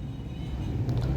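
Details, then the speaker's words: Toyota Vitz 2007 CVT after repair of starting trouble and engine misfiring: steady low even rumble while driving, no stumbles or skips, engine pulls smoothly and is no longer misfiring; normal running. "माशाल्लाह का मुकम्मल हो गया गाड़ी start और India में firing भी नहीं कर रहा"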